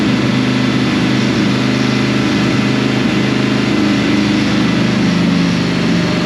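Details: 2005 Dodge Ram 1500 4x4 with a swapped donor Hemi V8 and new fuel pump, started on ether: loud steady idle with an uneven, stumbling low beat, missing on one or two cylinders; injectors suspected, not confirmed.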